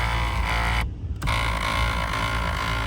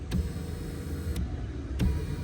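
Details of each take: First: 2014 Kia Cadenza driver-side power seat: steady rough grinding drone as the seat moves along its track, briefly cutting out, much louder than the smooth passenger side; power seat track grinding. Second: 2014 Kia Cadenza passenger-side power seat moving forward for comparison with the grinding driver side: a low, even motor hum with a few light clicks and no grinding; here the black tube does not touch the rail.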